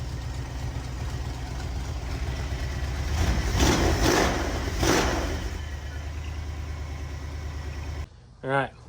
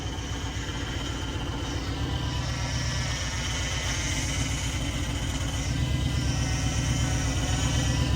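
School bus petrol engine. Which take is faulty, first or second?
second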